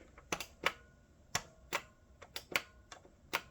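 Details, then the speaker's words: Salvaged vintage CRT monitor, power button pressed repeatedly: sharp, crisp plastic clicks, switch actuating normally after the broken plastic button-extension piece was replaced with a wooden skewer. "the power button is clicking in there. You can hear it."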